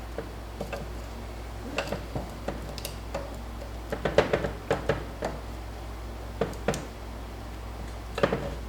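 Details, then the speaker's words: GM TH350 automatic transmission during rebuild: intermediate drum sprag clutch reinstalled and turned by hand in a quiet room. Light, uneven freewheel clicks; turns one way, locks the other. Normal sprag clutch sound. "There it is. There it is. And they're supposed to sound like that. That way it turns, this way it doesn't."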